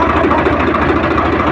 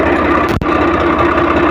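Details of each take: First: Swaraj 855 FE tractor after gearbox repair (previously noise in all gears except fourth and in neutral): idling in neutral, clutch pressed and released with no difference, steady even diesel beat, no gear rattle or whine; gearbox healthy. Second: Swaraj 855 FE tractor, diesel idling in neutral: rough gritty mid-pitched rasp from the gearbox while the clutch is released, the gear lever shaking, and it goes quiet when the clutch is pressed; gear rubbing in neutral. Noise also present in every gear except fourth while driving.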